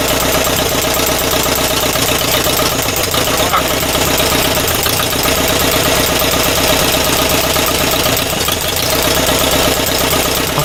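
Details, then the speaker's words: Air-cooled engine first run after refitting the first carburetor and resealing the intake gaskets, four bar oil pressure: even, loud idle with a raspy exhaust and nearly silent valve rockers; throttle response fine. "Throttle reaction is fine. Valve rockers ar"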